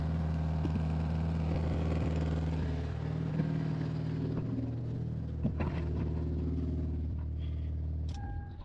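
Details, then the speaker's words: Mazda RX8 rotary idling after transmission service, loose joint retightened; steady, even low burble, no longer the earlier loose sound, but split gasket still leaking oil underneath; leaking split gasket after loose joint retightened. "Yeah, so it doesn't sound like in the video anymore, right? Because it was super loose, but the gasket is blown, so"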